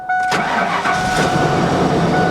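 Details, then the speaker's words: Clean 110,000-mile truck with 5.8 engine and dual fuel tanks: brief crank, fires right up without a jump pack and settles into an even, steady idle with no stumble; check engine light on. "did we need a jump pack for this huh no it fired right up yep"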